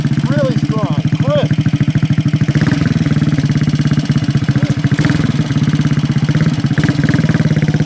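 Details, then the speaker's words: 1968 Harley-Davidson (Aermacchi) 250 Sprint single, complete frame-off mechanical restoration, after stone-cold start: crisp, even, quick regular beat at steady idle with no knocks or misses; sounds really strong, normal idle. "Baby, this thing runs beautiful. Looks the part too. Sounds really strong."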